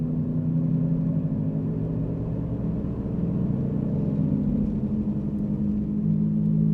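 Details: 2007 Jeep Grand Cherokee 4.7L, recorded while driving and swerving: a constant, loud, low droning hum over road noise. Worn driver's front wheel bearing, later replaced.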